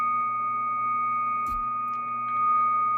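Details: Cobra 148 GTL CB radio, after its odd mods were undone, on lower sideband at S9: steady, clear tone with only a brief chirp. The earlier high noise floor and tea-kettle squeal are gone, and the off-frequency fault is fixed.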